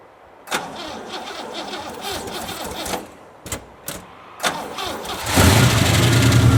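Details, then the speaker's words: 1963 Oldsmobile 88 V8, cold day, tank ran dry the day before with a little gas added: several cranking bursts without a catch, then fires to a rough idle; hard start from fuel starvation, choke possibly faulty, muffler blown out. "a little gas in that uh tank there it ran dry yesterday so it might take a few cranks hopefully the battery's good cold out"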